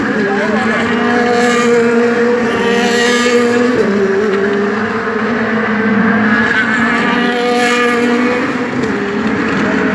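Loud race V8 with an uneven, stumbling beat and wavering pitch instead of a clean crisp note; sounds like it's misfiring, cause unknown.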